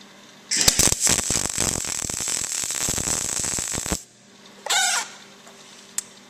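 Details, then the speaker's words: A small MIG welder lays tack welds 90 degrees apart on exhaust pipe clamped in a vise. About three seconds of harsh, uneven crackling sizzle with loud pops, then a short burst. The heat setting is too hot. "Okay, so I'm definitely a little hot, so I'm going to have to probably move a little bit"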